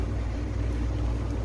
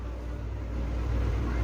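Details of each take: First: Electric fan after repair, with a new capacitor fitted: low steady hum and whoosh of air with no ticking, scraping or wobble, spinning fast and running normally. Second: Electric fan motor that would not spin, tested with power jumpered to a capacitor wire around the thermal fuse: steady low hum as the motor spins up, confirming the open thermal fuse as the fault; overload and overheating blow these fuses.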